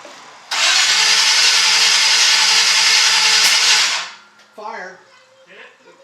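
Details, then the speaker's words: 1951 Chevy 1-ton flatbed with a Chevy 350, first start attempt: the starter cranks about 3.5 seconds without firing. A fat spark was found at the plugs; the owner suspects the new distributor. "in this case the suspected part is the distributor checked out the spark on the different plugs and it's getting a fat"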